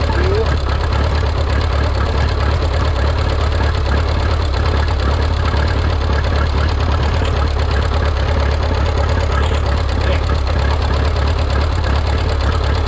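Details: Rebuilt Minneapolis Moline 335 tractor engine, warm (gauge about 140°), tappet gaps readjusted warm: loud, uneven low thumping at idle with an irregular beat and occasional stumbles; not firing cleanly, rough running misfire.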